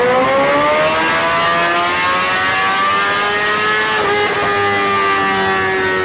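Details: 2008 Suzuki GSX-R1000 on dyno, fuel pressure under 40 PSI at idle: climbs steadily rolling into throttle, then around four seconds stumbles and sags as pressure drops and it goes lean. Fuel starvation lean bog from failing fuel pump.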